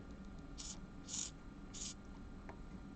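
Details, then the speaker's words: Hobby servo driven by potentiometer, commanded to about 250, beyond its 180-degree range: three short harsh buzzing bursts and a faint tick as it strains against its end stop, giving no extra rotation. "yeah it's angry we're getting less turning from there to there"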